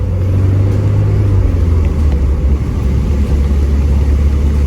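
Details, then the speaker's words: 1987 Porsche 924S driving in rain after replacing right-front wheel bearings, seals and spindle for noise; low steady road rumble, no growl or hum rising with speed. Wheel bearing noise gone. "all righty let's listen no more wheel bearing noise"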